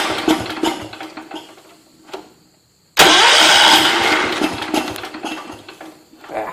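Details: John Deere 210 lawn tractor: engine sputters in bursts, goes quiet, catches loudly and fades unevenly, stalling when throttled up; owner suspects carburetor mixture needs adjusting.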